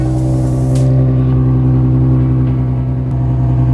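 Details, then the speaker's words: Nissan 350z V6 after an ignition coil replacement to fix a misfire. Deep, even exhaust note climbs cleanly on the rev with no stumble, and no smoke; the check engine light is still on, so the engine sounds normal but is not yet scanned. "Se escucha bastante bien el carro. Se escucha como debería de ser."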